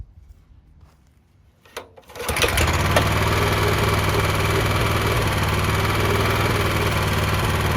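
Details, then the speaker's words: Honda FRC 800 rototiller after service with carburetor tune-up kit, fresh oil, idle speed and carb tuning lowered: starts after a couple of cranks and settles to a steady even low idle, no misses, knocks or leaks. "So I think it runs good now. I verified the oil level. Everything's good, still no leaks, fuel or oil or otherwise."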